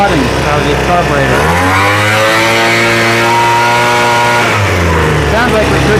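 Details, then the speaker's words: Craftsman leaf blower two-stroke after carb rebuild, some fuel flooding from carb: buzz climbs smoothly to full throttle, holds and drops back cleanly; high end could use slight tweak, runs fine. "like we could tweak the high end just a little bit. The high end is okay though."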